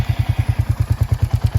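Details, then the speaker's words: Royal Enfield Hunter 350 single-cylinder at about 3,000 km idles with a light, even tick on each firing thump from one side of the engine. Owners report it from around 500 km; the timing chain is suspected. "comments below my first video that we all have the same problem and that it's a sound that comes from this side of the motorcycle and the sound is something like a thickle that we can hear when we drive"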